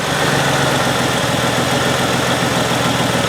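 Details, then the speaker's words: 2005 Ford Freestar 3.9L after engine swap, first start once crossed wires for coils five and six were swapped: steady idle with uneven beat and occasional stumbles plus slight exhaust leak, smoother at higher rpm; misfire later confirmed. "hey this sounds better you got a little exhaust sleep but she runs almost sounds like it might have a misfire that sounds pretty good at higher rpms there"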